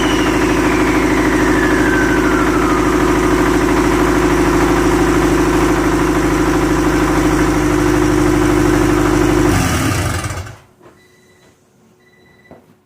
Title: 10psi rod knock